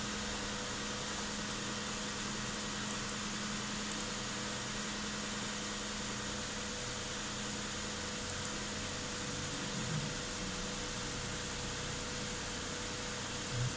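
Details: 2008 Hyundai Santa Fe being diagnosed for a suspected misfire, cold start at 39 degrees after clearing codes: quiet, even idle with a steady low hum and no stumbles or skips over fourteen seconds.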